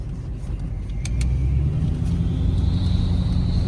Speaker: Ooh, I hear a whistle. It's got some turbo. Well, this sounds good.